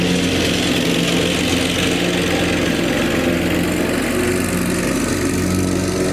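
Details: Lawn tractor after fitting an electric fuel pump to fix a fuel problem, cutting grass: single-cylinder engine holds a steady, even drone under load without surging or dying; normal running under load.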